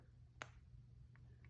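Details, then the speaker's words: 2013 Ford F-150, 226k miles, front suspension job: ball joint worked by hand stays quiet with one soft click, no grinding, still good, unlike the other joint replaced about 100,000 miles ago, which grinds. "there's no grinding or anything this one's still good"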